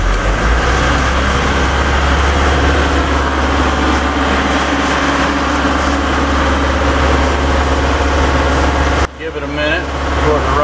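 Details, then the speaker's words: Diesel engine of the 140 idling and revved after an oil, oil-filter and fuel-filter change, restarted once the fuel was through: a steady, even low chug with no misses, knocks or hunting, a normal, healthy diesel idle. "all that uh fluid through all the fuel through sounds like everything's going to be pretty good"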